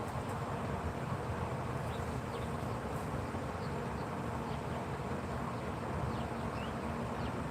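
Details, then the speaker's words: Traeger pellet grill during its long shutdown cycle, fire out: steady soft buzzing fan hum at one pitch, no rattles or speed changes; fan running normally until shutdown ends. "I just hear the fan. No, the fan. That's still working. When that fan shuts off, it's done."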